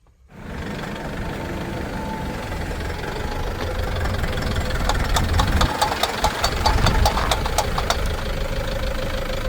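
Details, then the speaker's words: 2001 Toyota Land Cruiser Prado J90 3.0 diesel, 370,000 km: steady engine with sharp regular clicks while turning with transfer case locked, fine straight and when unlocked; owner suspects bad CV axles, knock under driveline bind. "And when driving straight, it's fine. But when you start turning, the car makes a knocking sound, which I don't know where it's from and how bad it can be."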